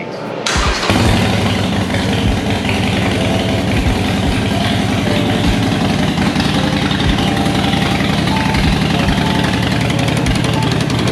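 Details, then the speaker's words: 2020 Harley-Davidson Roadster after replacing fallen-out front header exhaust flange nuts: prompt start and steady loping idle, no tinny rattle or puffing from the front header; exhaust leak appears fixed. "so i believe i fixed the exhaust leak on the good old harley davidson here"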